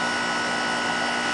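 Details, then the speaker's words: Nordyne 2.5-ton unit, about 15 minutes into running after a dead capacitor was replaced, during a pump-down attempt: a steady, strained whirring hum and an odd noise. The compressor won't pump down; bad valves are suspected, with the system about 9 lbs overcharged. "I don't know if you heard the compressor right there it made a really funny noise it was an internal relief or anything hard to describe"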